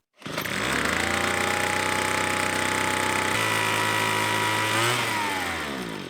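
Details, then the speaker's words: Two-stroke leaf blower, one of a Craftsman B210, Husqvarna 125B, Weed Eater Barracuda SV30 and Troy-Bilt TB2MB, after a fuel line replacement: snaps to a high buzzing rev, wavers, then sags and dies instead of idling; carburetor fault. "Must be the carb."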